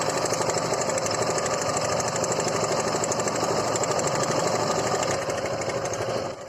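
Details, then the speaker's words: Suzuki Gixer motorcycle, recorded close to the engine at idle: loud rapid metallic clatter with no low thump underneath; timing chain rattle, to be fixed by opening the timing chain tensioner. "Engine sound आप लोगों ने सुना कितनी भयंकर आवाज कर रही है बहुत ज्यादा ऐसा लग रहा है कोई चीज लड़ रहा है बहुत ज्यादा आवाज कर रही हूं तो इसके लिए हमको यह टाइमिंग पेंशनर खोलना"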